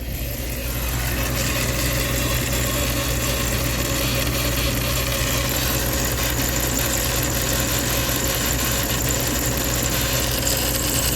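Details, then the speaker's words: 1997 Dodge 3500 conversion van, 5.2 Magnum V8, first start after both cylinder heads were replaced: a steady idle with an irregular vibration and faint ticking. Owner suspects PCV valve vibration or a vacuum leak; the abnormal noise is unconfirmed. "I feel the vibration of the PCV valve. I do hear a little bit of a vacuum leak. I wonder I wonder if that's the thing rattling in here that I feel."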